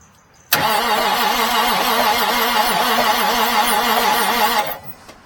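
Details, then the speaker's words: 1989 Marmon truck, possibly needing an engine rebuild, started by jumping the starter solenoid after opening the fuel solenoid: it catches and runs rough with a steady knock of about three per second over diesel clatter; engine knock. "sounds like it's knocking"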